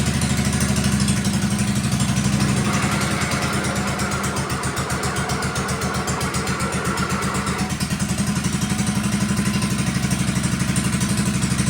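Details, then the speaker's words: 1957 Wheel Horse RJ35 garden tractor after sitting 5+ years, driving under load: even single-cylinder thump holding its beat as it pulls, no misses or knocks; normal running under load. "there you have it runs and moves that is so exciting sorry it's kind of out of the frame there but yep runs and moves she's a winner"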